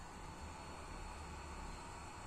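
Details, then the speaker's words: PlayStation 2 cooling fan: soft steady airy whir with faint even hum, no scraping or ticking, normal ventilation noise. "é alguns Playstation 2 tem um sistema de ventilação entendeu E é por isso que às vezes acontece um barulhinho tipo girando"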